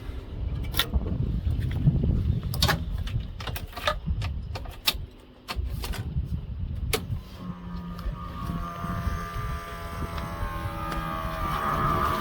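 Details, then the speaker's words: 1989 Toyota Landcruiser HJ75 Troopcarrier with Chev 350 V8 and Edelbrock carburettor, fuel rerouted from the 20 L rear sub tank: clicks, then a thin electric fuel pump whine rising slightly as the system primes normally; no leaks. "turn the fuel pump on and check that fuel system out"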